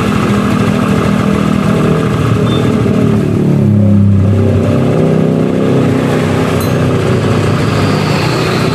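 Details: Honda Vario 110 scooter that stalled after about 100 m and ran rough, oil found empty; after oil and radiator coolant refill: steady, even low-purr idle with no stumbling or rattles; healthy.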